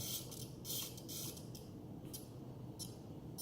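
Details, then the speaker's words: Blade Fusion 360 RC helicopter, powered on: short bursts of high-pitched buzzing come and go in a quiet room as the tail servo holds position under power, which is normal. "all right you guys can hear that buzzing that's the tail servo"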